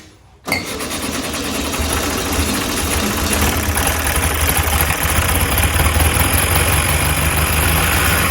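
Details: 1967 VW Beetle, long-sitting, varnish-filled carburetor, points reset: short crank, then catches and settles into even, steady flat-four running with no misses or stumbling.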